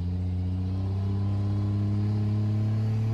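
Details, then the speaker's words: Diesel truck after turbo kit reinstalled, exhaust leaks fixed, converter stall about 2200 seeming looser: steady deep drone, smooth even pitch, no flutter or hiss; turbo spools up cleanly, about 2-3 seconds faster than before. "And it spooled up great. So it seemed to spool up, I don't know, 2-3 seconds faster than it would before."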